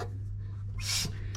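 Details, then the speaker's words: 1966 Corvette after 10 years sitting, being readied for first start, finger in number one spark plug hole while turning engine by hand: under a steady hum a sharp puff of air as cylinder one compresses, stopping at top dead center. "You still hear the puffing. And now it stops because I'm at top dead center."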